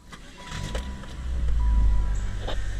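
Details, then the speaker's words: 1997 Saturn SL2, after replacing intermittently failing starter (single-click no-crank), car on ground: short starter whir, engine catches immediately and settles to steady run; new starter sounds different but cranks and starts normally. "it still fires up immediately the starter totally sounds different but that's to be expected but as long as it starts we're good"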